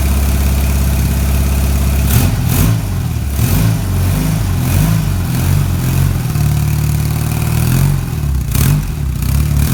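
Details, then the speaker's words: BMW R80 cafe racer twin at its first start-up after the project, on the old battery with stock-sounding quiet exhausts: a steady, even low burble with no knocks or rattles, settling into a smooth, healthy idle. "so as you can see as you can see is a runner fantastic it sounds sweet"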